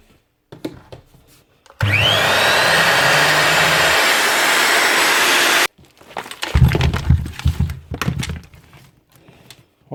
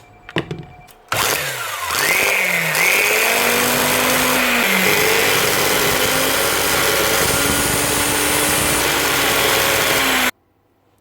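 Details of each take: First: Repaired grinder test run after retapping and Loctiting loose screws: motor whines quickly up to speed, holds an even high pitch about four seconds, then cuts off, spinning freely; normal running. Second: Second-hand 110 V angle grinder, Bosch or Hitachi: spins up to a high whine wavering in pitch with a rough, uneven drone; brushes first suspected, but the armature is faulty.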